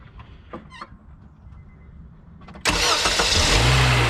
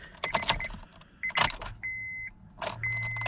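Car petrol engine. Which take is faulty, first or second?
second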